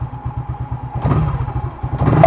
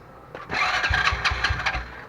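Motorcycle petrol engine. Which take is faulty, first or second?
second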